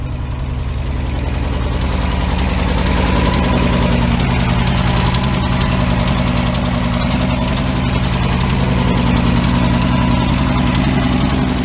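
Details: 1971 Ford F350 crew cab, six-cylinder, long-sitting first start: a lumpy, uneven low idle with a loose knocking beat, running like it's barely hanging on; rough idle, close to stalling.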